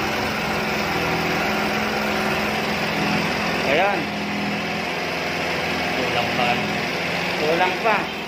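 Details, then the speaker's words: Suzuki Burgman Street scooter during manual idle speed control (ISC) reset: thin steady idle sitting too low, sounding starved, because the ISC was turned short of a full turn; low idle from incorrect ISC setting. "Ibig sabihin, mali ang ating receipt. Mali yung ikot natin 8-8 kalakalhati."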